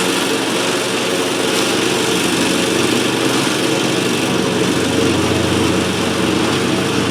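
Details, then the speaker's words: Cub Cadet Ultima ZT2 zero-turn, 60-inch deck, final test after repairs to a no-start that involved fuel pump, carburetor and other issues: steady, even running with a clean continuous drone, no misses or knocks; healthy. "but as you just saw, it's running great. It sounds great. I'm really happy with the way it turned out"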